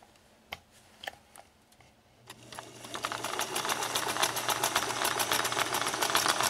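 Machine starts up into a fast, uneven clatter of sharp ticks, about three or four a second, rattly and rough rather than smooth.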